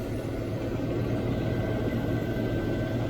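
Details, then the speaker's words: 1993 Range Rover LSE petrol V8 idling, checking tappets: this lifter is quiet, steady low rumble with no tapping; some others on the engine are noisy. "See if this one up here has got any quieter. This one here is quiet"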